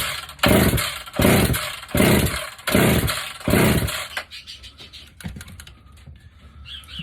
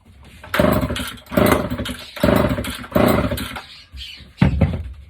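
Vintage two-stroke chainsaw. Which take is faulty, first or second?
second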